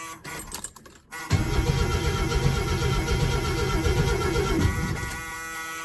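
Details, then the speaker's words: 1937 Plymouth sedan project car, 100,000 miles, after retightening the starter solenoid cable: starter spins the engine strong and steady at about four pulses a second for three seconds; normal cranking. "Oh yeah. Spinning over nice."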